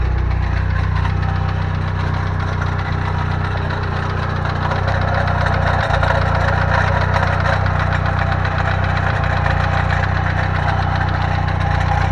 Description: Update: Fidanza flywheel starter ring is loose.